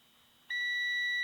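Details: Multimeter continuity check on the coils of a Crosley 157 antique tube console radio; quiet, then a clean steady beep holds: continuity, so the coil winding is intact.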